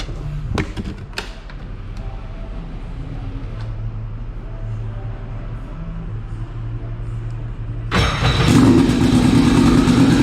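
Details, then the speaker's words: Turbo Sea-Doo RXP-X 260 after engine rebuild and new injectors replacing three stuck-closed ones: low drone, then near eight seconds the engine catches and settles into a strong, even run; normal start. "i went ahead and bought new injectors threw them in and now you guys could hear it start after i find the key"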